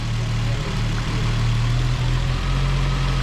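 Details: Infiniti G35 idling after spark plug replacement, possibly a cold start, no misfire though the owner thought it puttered slightly and it smoked a little; smooth, even low idle with a steady drone, running cleanly on all cylinders.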